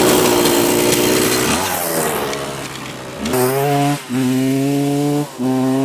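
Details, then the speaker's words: 1986 Yamaha YZ125 two-stroke barn find, first ride: revs rise and flare in bursts but the drive doesn't follow. The clutch is slipping, with what seems to be some slack. Owner is unsure whether it only needs adjusting or the clutch plates are worn. "all right clutch is definitely slipping on this thing so let's try to adjust that"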